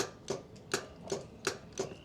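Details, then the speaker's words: Relay on the anchor windlass of a 2000 Ocean Cat 49 catamaran clicks crisply about every 0.4 seconds with no motor hum; the windlass goes up but won't go down, and the cause, relay box or motor, is still unknown. "One thing we also have to get working is the anchor windlass, because it can move up, but down, nothing is happening. You can hear the relay clicking,"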